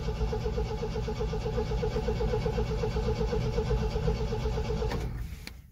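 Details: 1974 MGB GT cranked for its first start after sitting 7-8 months, fuel pump already primed, a little choke: steady starter churn at about four beats a second with no firing before it stops; cranks but won't start, cause unconfirmed.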